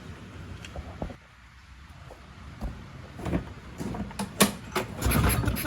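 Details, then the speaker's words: Push mower that sat six years with water in the engine, with a new spark plug fitted: several rough pull-cord rattles about a second apart and the engine never catches; hard starting, will not start. "We'll see if it starts now. It's almost there. I might try some other things on it first."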